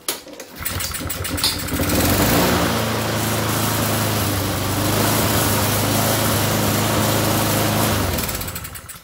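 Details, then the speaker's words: Honda GCV single-cylinder mower engine with governed speed raised to add power so the mower picks up better and clogs less underneath; catches after a few pulls and settles into a fast, steady, even beat with no misses; healthy running. "La machine tourne tout de suite beaucoup plus vite. Voilà, vous avez vu, ça prend 30 secondes. On augmente la puissance de notre machine ramasse mieux, ça bourre moins en dessous."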